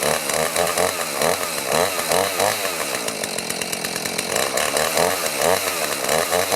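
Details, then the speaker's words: Chainsaw (2-stroke) that sat over 5 years, just started on fresh fuel; high-rev buzz with a slightly uneven surging pulse, keeps running on its own; a possibly stiff carburetor metering diaphragm may loosen up with running; essentially fine. "That metering diaphragm in the carburetor might be a little stiff, and sometimes you let them run and they'll loosen up."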